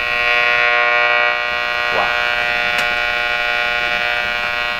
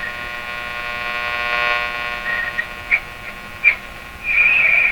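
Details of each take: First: Wonderbar tube car radio with non-working vibrator, tubes powered from a shop high-voltage supply, antenna connected: loud steady buzzing tone with many overtones and a brief sweep while tuning; noisy output, cause not identified, radio otherwise works. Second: Wonderbar tube car radio with a non-working vibrator, run from a heater supply and a high-voltage shop supply for B+, tubes warmed up and tuned with no antenna connected: steady buzzy hum with stacked tones, a few pops and swells.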